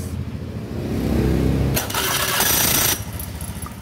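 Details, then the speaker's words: Honda Beat FI scooter with rough, noisy starter: chattering grind for about a second as it cranks before catching, still present after greasing and reassembly; starter drive sounds worn, and a wobbly shaft was noticed afterwards. "pada saat kita ee kasih Gris lalu dipasang dihidupin ternyata si starternya dia masih bunyi ngejelengik"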